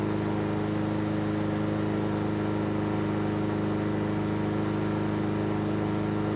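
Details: Honda GCV160 engine on Husqvarna AWD mower, air filter off to watch wax-pellet automatic choke: steady even fast beat with no misses or surging; choke butterfly opening, automatic choke working properly.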